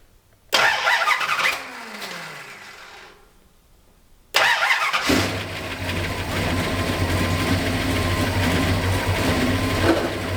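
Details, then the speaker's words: 1969 Dodge Charger after sitting for years, fresh cam swap still on break-in oil, new fuel system, timing never dialed in: long crank, brief catch that dies, then an uneven lumpy idle; owner suspects the carburetor. "here it's trying its best something's weird with the carburetor uh I never really dialed in the timing whenever I got it running after to break in the C"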